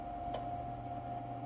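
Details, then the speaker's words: Solar inverter running after main board (motherboard) replacement, all three lights on and no error. A steady, even electronic hum with one brief click and no warning beeps. Normal running. "and it sounds like it's working good this one's working good"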